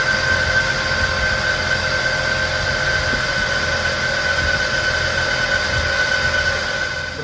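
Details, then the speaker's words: 1999 Jeep Wrangler TJ Sport, automatic, 144,000 miles, listened at the engine with a stethoscope: steady high whine over even idle; owner suspects the alternator bearing, possibly an idler pulley, serpentine belt also needs replacing. "i listen to it and the more i get my ear down in there i really effort i think it's this alternator i think that's what's making all the racket"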